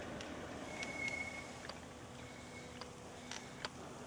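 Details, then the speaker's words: Sixthreezero Easy Transit electric trike ridden in very cold, windy weather; short high-pitched squeals come and go over quiet rolling noise each time the front disc brake is applied, the front being noisiest; brakes soft and needing adjustment. "this front brake is the noisiest and the back ones aren't so"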